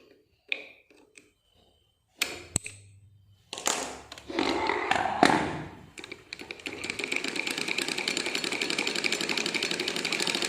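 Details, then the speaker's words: Sewing machine after oiling and removing a rubbing part: fast, even clatter about four times a second; noise reduced, but the worn upper gear (garari) that drives the lower gear still rattles, with no replacement gear available yet. "कम हो गई। इस machine के ऊपर वाली गरारी घसी हुई है, लेकिन अभी तो मेरे को अवेलेबल गरारी नहीं मिलेगी।"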